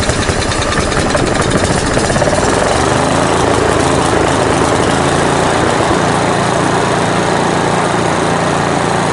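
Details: 1970s Briggs & Stratton single-cylinder generator engine, old carb not yet cleaned: loud, steady constant-speed running with continuous flat exhaust bark and no obvious misses; normal running.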